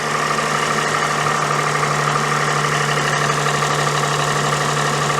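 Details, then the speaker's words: Daihatsu Sirion after fitting a new alternator, new water pump and new belt: steady, even idle with low hum and soft accessory whir, no squeal or knock; remaining noise is normal, though the starter motor is now not disengaging properly. "but there's no dodgy noises this is great well there is a dodging noise but it's it's meant to make that noise it's a norm noise"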